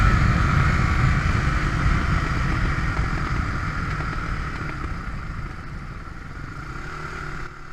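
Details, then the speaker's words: Suzuki DR350S bought used, reportedly rejetted and carb cleaned, also losing power at high speed: revs winding down off throttle with irregular coughs and spits in exhaust; backfiring on deceleration, cause unknown. "right there, you can just kind of hear it coughing up. It's just backfiring when I let off the throttle."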